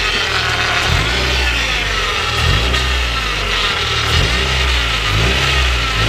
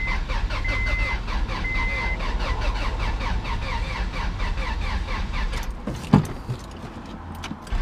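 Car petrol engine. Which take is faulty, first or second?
second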